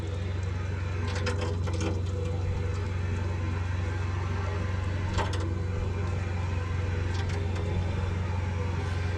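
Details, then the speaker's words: EcoTemp L5 1.5 GPM propane tankless water heater, three years old and running well, supplying an off-grid shower: constant low roar with a steady hum, no sputtering or popping; burner lit and running clean. "Again, this thing is 3 years old, and it's been running really great for us."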